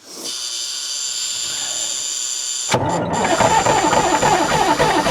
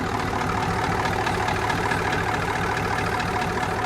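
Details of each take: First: Rare big-power diesel truck being revived: starter grinds steadily for about four seconds but the engine never fires, with ether on standby; the crew suspects fuel and primes it, after which it starts with 70 psi oil pressure. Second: Rare big-power diesel truck just revived, with mechanical injectors: after an initial miss cleared, it settles into a steady, even diesel idle clatter with no skips; sounds smooth and is charging, though the AC compressor clutch is unhappy.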